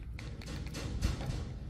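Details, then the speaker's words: 1970 Chevrolet C/K 30 pickup with 4,416 miles on the build: rocking the bed by hand brings irregular dull low clunks from underneath; something loose under the bed, source not yet found. "Kind of shake the bed around a little bit. There's something under here. Not quite sure."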